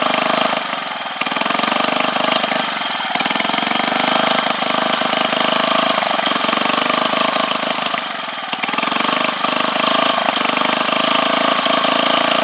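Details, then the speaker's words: Freshly rebuilt 5 hp Briggs & Stratton single-cylinder engine on its first run, on full choke; fast buzzy beat holding fairly steady with slight occasional surges; running normally after rebuild. "All right, so we got the engine back together, and this is gonna be the first run of it. I'm really excited."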